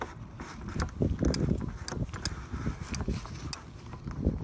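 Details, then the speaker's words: 36 V golf cart that won't start, key on with battery charger connected: sharp dry clicks about every half second from the ignition area, like a chattering relay or solenoid, not heard before. Cause not yet found. "I got the key to the on position with the battery charger on there and this wasn't making the noise before that's why I was going to check it out"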